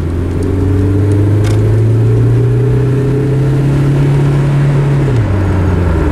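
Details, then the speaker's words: Old Volvo wagon with AW70/AW71 automatic after overdrive fault repair, road test: engine pulls steadily then revs drop cleanly as the next gear engages into overdrive; smooth shift, fix confirmed. "shift two shift give me another gear please there we go buddy we fixed her"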